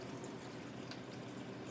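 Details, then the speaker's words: Ice machine at startup with the compressor humming and the fan coming on as it enters the freeze/pre-chill cycle: soft, steady rush of water filling with no sputter or hiss; inlet fills properly. "We got water coming in. Fan came on. I guess we are now in a freeze."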